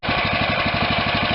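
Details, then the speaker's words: Kohler CV460S 460cc single-cylinder engine on a John Deere LT160 lawn tractor, after fitting an aftermarket carburetor and freeing a stuck choke: even single-cylinder thumping, about eleven beats a second, no misses or stumbling; normal idle. "no I know I'm not choking out not stumbling"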